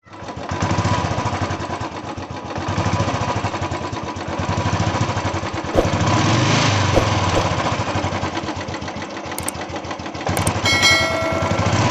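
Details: Royal Enfield Bullet 350 single-cylinder engine thumping at idle with a light, quick ticking riding over the beat; valve tappet noise.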